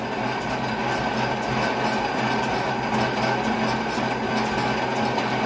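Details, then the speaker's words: Drill with an oversized, overly long drill bit machining excavator pins: uneven rattling chatter over a steady hum as the bit labours in the cut; sounds bad. "don't sound happy that's for sure [Music] yeah definitely sounds bad"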